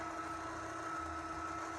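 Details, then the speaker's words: Litter Robot 3 after refitting globe-to-base arms into their slots and back lips, test cycle: quiet steady motor drone with constant thin tone, no clicking where it usually clicked; rotation normal after fix. "so far so good this is usually where it clicks obviously need to clean out my kitty litter box all right no clicking this is great"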